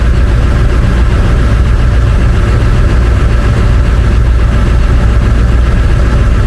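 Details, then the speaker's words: International 4700 with 7.3 L 444E diesel, just fitted with a new turbo and coolant topped off; deep, even rumble at steady idle, no knocks, whistles or hunting. Normal idle after turbo install. "Alright, it's running. Got everything topped off. Well, just the coolant. I didn't add any oil. Oil level is fine. Things seem to be idling fine."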